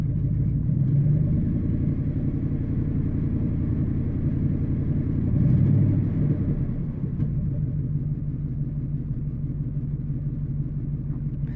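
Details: Deep, lumpy idle with uneven stumbling beat and a plug popping; misfire, owner suspects worn spark plugs and wires, cause not confirmed.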